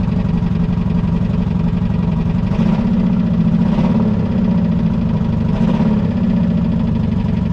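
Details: Chevrolet Camaro 4th-gen V6 on a cold morning after hard cranking: uneven idle with a light repeated tapping like a woodpecker, after a backfire and sputtering; exhaust leak at muffler noted but not blamed; cause not pinned down.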